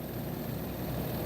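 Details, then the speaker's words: Inverter mini split with EEV valve and PV solar wiring, switched to cooling: the compressor kicks on and the accumulator visibly shakes; an even low hum with a steady faint high whine and no knocks, normal compressor operation. "Cooling. Hear it? Compressor just kicked on. You can see that accumulator shaking."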